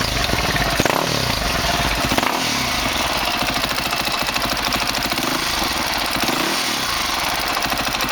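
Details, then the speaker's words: 2003 Honda CRF450 four-stroke, first start after engine rebuild for seized connecting rod and blown rod bearing, started without choke: crisp, even single-cylinder putter at steady idle, no knocks or misses; normal idle. "On a bien vu qu'elle a démarré, j'ai tiré le starter après en pensant qu'elle allait caler, et finalement elle tient très bien."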